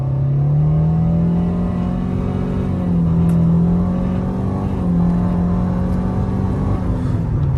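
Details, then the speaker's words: 2013 Nissan Altima CVT under hard acceleration at 60 mph after the transmission slipping and surging fix: steady deep engine drone with no whine, accelerating well. "this road is 60 miles an hour and as you can see no more winding noise even though i really hit it kind of hard uh and uh it's doing just fine"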